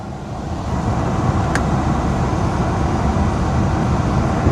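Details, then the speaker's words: 2006 Honda Pilot at idle, rear AC blower tested after fixing the rear AC fault, suspected rear blower resistor: a steady rush of air swells in and holds smooth, no rattles; rear AC now working normally. "Damn. Yes, she's working. Hell to the Yeah. Rear AC works, guys."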